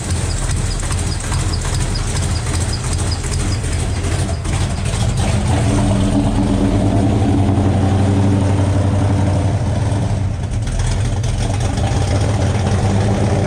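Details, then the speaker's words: 1972 Buick Skylark with a freshly installed 427 V8 on first fire for break-in, rocker straightened and timing checked: steady, even idle with a deep low rumble and no valvetrain ticking, sounds good; exhaust has an open O2 sensor hole. "yeah what do you think sounds awesome sounds good"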